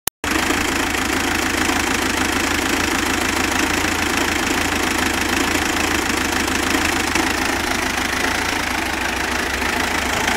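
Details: Mitsubishi Pajero idling with an uneven, stumbling beat and the odd miss. It smooths out once rpm rises, with only occasional hiccups. Rough idle, cause not yet found.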